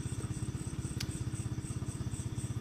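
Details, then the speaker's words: Honda Sonic engine rebuilt from scratch, first start right after assembly with oil added, radiator left uncapped to check coolant circulation and compression leaks during 3–4 minute warm-up: even single-cylinder putter about ten pulses a second, steady; normal warm-up idle. "idupkan nah udah langsung hidup ya diamin aja dulu inen oli udah dimasukin jangan sampai lupa olinya nih ya"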